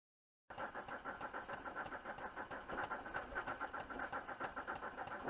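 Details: VW Touareg 2.5 R5 TDI, 174 bhp, 4Motion, manual, with 400,000 km, at cold start with smoke. The diesel idle is lumpy, pulsing about three beats a second from bad injectors, which have worsened over the last year.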